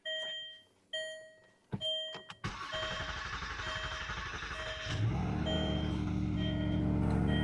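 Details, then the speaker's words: 2009 Land Rover LR2, 3.2 L inline-six, 198k miles: warning chimes, starter churns about 2.5 seconds before catching, then a smooth idle with no ticks. Extended cranking; suspected loss of fuel pressure. "It did that before too. Maybe losing some fuel pressure."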